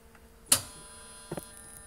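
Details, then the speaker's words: Faint steady buzz from a 24 V contactor in the rear of a home-built electric car after a loud clack as the key switch turns on, with a double click later; owner plans trying a 28 V contactor. "and if you can hear that buzzing noise that's my contactor in the back of the car back here buzzing away I thought I'd let you hear this good that's my 24 volt contactor"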